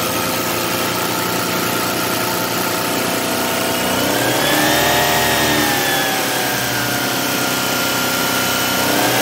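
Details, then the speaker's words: Car at idle after radiator fan replacement; newly fitted radiator fan whirs on smoothly once the temperature gauge passes halfway and shuts off when temperature returns to normal, no rattle or scrape, fan working normally. "यहां देखिए, पंखा चालू हो गया है। तापमान आधे से ऊपर पहुंचते ही पंखा चालू हो गया।"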